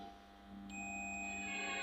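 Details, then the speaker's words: 5-pin DC relay tested with a digital multimeter on continuity, probes on the common and normally closed terminals: a steady high beep starts and holds without dropping out, so there is continuity and the contacts are good. "यहाँ पे देख लें हमें beep सुनाई दे रही है तो इसका मतलब है ये ठीक है।"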